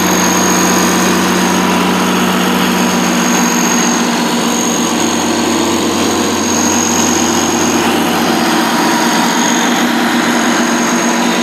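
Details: 2002 Kohler 100 kW/125 kVA standby diesel generator, 320 hours, 480 V three-phase, no muffler: steady even loud diesel drone with no knocks, misses or surging; normal running.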